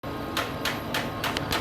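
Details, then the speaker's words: Brother printer/multifunction that won't pull paper or print: sharp tec-tec clicks about three times a second with no paper pickup. "sua impressora não está imprimindo e só fica fazendo um tec tec"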